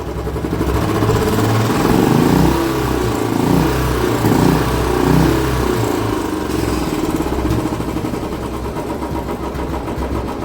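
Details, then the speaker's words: Royal Enfield BS6 Standard, 8524 km, converted to carburettor, after oil and oil filter change left running so oil reaches the hydraulic tappets: single-cylinder thump rises then settles to even idle, tik-tik ticking gone. Normal idle. "अब आप देख सकते हैं पहले के मुकाबले बहुत ही आवाज अच्छी हो चुकी है फ्रेंड्स"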